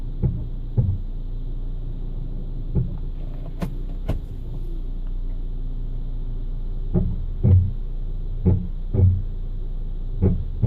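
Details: Hyundai ix35 rolling slowly: short runs of dull clunks about twice a second over low rumble; brake noise, source unclear.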